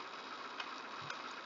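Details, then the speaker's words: GE/Samsung fridge ice maker removed and on its side for testing: faint steady ticking of the timing motor with light snaps and clicks from the drop-down arm, turning in the correct direction; working normally. "hear the motor ticking the background the timing motor a"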